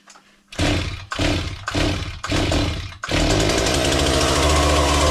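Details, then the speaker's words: Chainsaw test start after repair and refitting the air filter: several short bursts of catching and dying, then a steady high-speed scream; it runs but won't hold an idle, idle adjustment needed. "Well, you heard it. It runs it for but for a moment I have no idle. So, I need to adjust that, but I will wait a little bit with that because it's very smokeoky in here right now."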